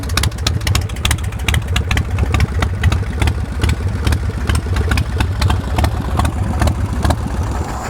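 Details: 2003 Swift Bar Chopper V-twin with Vance & Hines exhaust: deep, lumpy idle thumping along evenly with no misses, knocks or ticks; fires right off, good throttle response, no smoking; healthy-running engine.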